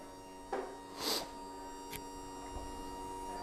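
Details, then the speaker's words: Quantum Q6 Edge 2.0 power wheelchair with 6 miles of use, during electric recline: steady motor hum with brief squeaks from a plastic box rubbing in the back. The chair itself is fine. "that little noise you heard in the back that's just a plot there's a plastic box back there it's just any time you go back sometimes you'll hear a little squeaking of the box but it's nothing to do with the chair"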